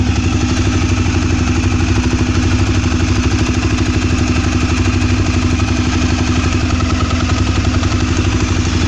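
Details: Twister engine noise at idle: a small single idles with a fast, uneven clatter riding on the exhaust beat, about four knocks a second; engine clatter, source unclear.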